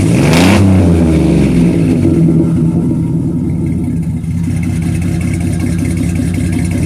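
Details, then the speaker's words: 2005-2010 WK1 Jeep Grand Cherokee, abused rig with engine problems, just back from Midas with a brand new exhaust; sharp rev settling into smooth deep idle, no rasp, ticking or leak puffs; normal exhaust note. "All right, we're back from Midas with a brand new exhaust. Let's go ahead and do a start up. See how she sounds."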